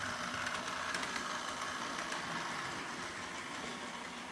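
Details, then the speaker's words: Bachmann GP40 Rio Grande DCC model locomotive running slow at club pulling a few cars: thin buzzy whir with loose ticking about three per second; drive motor noisy at low speed, improving somewhat at higher speed. "it is pretty pretty good and slow but you can still hear that noise now it does get a little better noise wise when we speed up"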